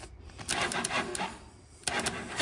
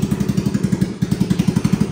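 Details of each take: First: Hammerhead 250cc single-cylinder kart on a jumper, no airbox fitted, clogged petcock drilled out: catches after a few cranks and settles into a fast, busy idle, set too high before being turned down. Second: Hammerhead 250 ATV, first start via jumper with the airbox off, idle turned down: an even putt-putt of about eleven firing pulses a second, steady and unhurried; a healthy, slightly lowered idle.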